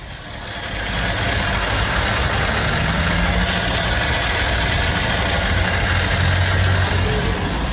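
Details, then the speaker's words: Motorcycle idling in delivery use with a busy metallic rattle over its low running note, likened to a spoon hitting inside a blender. The rider plans to take it to a mechanic. "tá estranho tá parecendo um liquidificador para bater uma colher dentro"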